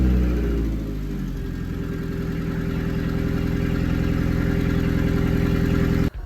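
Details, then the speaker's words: 1976 Datsun 280Z body on a 2003 Audi TT Quattro, after engine transplant and reconnecting a half-unplugged coil pack: short rev settling into a smooth, even idle with a steady low drone and no missing; running right. "now that she runs good we'll get this thing back together and get her rocking like a headbanger and a Metallica concert"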